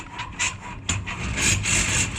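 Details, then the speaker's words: Alutech sectional garage door with Nice operator, raising or lowering with two sections left at bottom: repeated scratchy squeaks over low motor hum from torsion springs rubbing on their shaft; fixed by fitting plastic water pipe, probably 32 mm, on shaft. "То есть по валу пружины скрипят. Надо это устранить."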